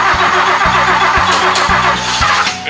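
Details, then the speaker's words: 1966 Mercedes-Benz 600 Grosser, sitting about 40 years, in park without throttle: V8 starts and settles into a smooth, even idle with a soft steady pulse, no knocks or misses, "like a Rolex watch"; needs a tune-up; normal idle. "Sounds like a Rolex watch. It needs a little tune-up, but I bet that thing will run like brand new."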